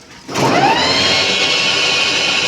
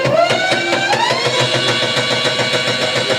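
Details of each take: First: Delta Star e-rickshaw after repair, driven: electric drive whines up smoothly to a steady tone, the earlier khat-khat knocking gone after replacing the pinion gear with two broken teeth. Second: Delta Star e-rickshaw; quick sharp clacking over rising electric motor whine from the differential, caused by broken pinion teeth.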